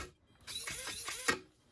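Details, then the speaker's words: Small combat robot (Scoopsy Daisy plow bot) after installing a new Turnabot combined ESC/receiver/mixer: short, even whir of drive motors spinning up and settling, no grinding or binding; feels zippier and responsive; normal drive motor operation. "Feels a little zippier than I remember. real responsive."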